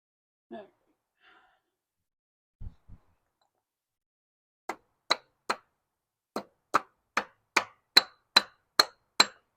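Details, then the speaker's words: 1993 Harley-Davidson Sportster 883 Evo, sitting about 15 years, on a booster that shows good power: sharp dry uneven clicks about two a second with no cranking; suspected worn-out starter solenoid. "Huh. Sounds like the starter solenoid is pretty well shot."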